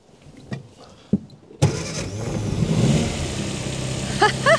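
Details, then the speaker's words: Barn-find 1954 Austin A30, later restart after first run in 52 years: a couple of quiet clicks, one short crank, and it catches instantly and settles into a steady idle; starts on the button. "on the button she's absolutely on the button"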